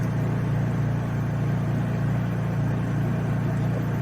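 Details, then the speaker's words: Honda EU3000is generator fitted with a cheap aftermarket Huayi carburetor, factory servo moved onto it: smooth, steady low hum holding one even speed, no hunting; runs way better, the earlier surging gone. "Yeah, that runs way better. I don't know what was the deal, why that thing kept surging and I couldn't get it to not."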